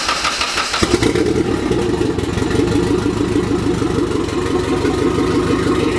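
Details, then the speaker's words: Turbo car with open downpipe, after work near the coil connectors. Catches and runs rough with an irregular stumble: misfire. Owner suspects a loose coil connector. "no no so it's a miss very good that's not good"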